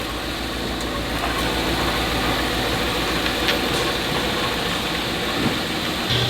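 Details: Chevrolet Cheyenne truck after loose mounting bolts were tightened: smooth steady idle with even note and no knocks, clunks or growl; noise gone, normal.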